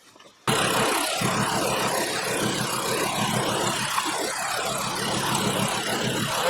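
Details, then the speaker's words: 2012 VW Jetta 2.5L five-cylinder at idle with a regapped spark plug refitted: still an uneven, stumbling idle with a skip. Unplugging that coil makes no change. "Still running rough, and when I unplug this coil, it does nothing."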